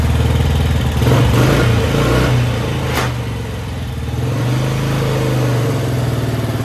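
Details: 1955 Velocette single, revived after sitting over 20 years, open air box, no generator fitted: steady thump at a fast idle, picking up briefly with throttle and settling again; runs cleanly.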